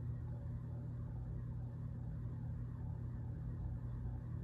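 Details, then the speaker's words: Vintage Heritage ceiling fan in a historic theatre/church, on high speed: steady low hum with a soft, slowly swirling bearing rustle, heard before the top bearing was oiled, which freed it up. "I will say I'm impressed the hum's not worse than it is I mean it a little something but I I think the CRA kill is actually worse than this one okay and straight High okay kind hear the swirly bearing sound"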